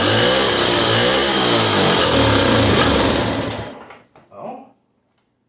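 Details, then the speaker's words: 1963 Honda Sport 50 (CA110) unused for years, carburetor reassembled, plug had been fouled, on choke: the small single buzzes unevenly for a few seconds, then fades and stalls; owner unsure whether the plug fouling came from poured gas or the carb. "The plug was all fouled out. I don't know if that's a byproduct of me dumping a bunch of gas down it or the carb not act acting right,"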